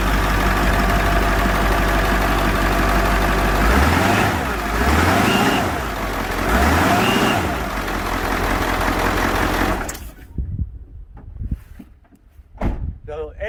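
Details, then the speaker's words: Bus with Ford 7.3 Powerstroke turbo diesel (engine sat for years) after fresh oil put into the high-pressure oil pump reservoir, compared with a loud 289,000-mile 7.3 truck; smooth, fairly quiet idle, clean rev blips, then shutoff, no harsh clatter; normal idle. "i'm gonna go over and start the bus and you hear how quiet it is"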